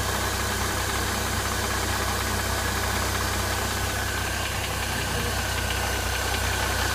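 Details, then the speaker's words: Mercedes M272 engine, cold start then warming at idle: smooth at first, then a light metallic rattle of about four taps a second, seemingly from the left side and somewhat diesel-like; the cause is unknown. "Такой что-то типа тарабанит, такой металлический должен быть. Походу вот начинается уже. Идет как будто вот отсюда что-то вот слева."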